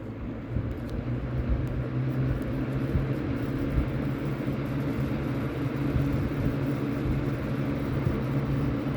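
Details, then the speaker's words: Vintage early-to-mid-1980s Lakewood P-223 20" three-speed box fan with a McMillan motor, running smoothly on medium: a steady loud rush of air over a low motor hum, louder than low. "turn it up to medium it's going to start to get loud"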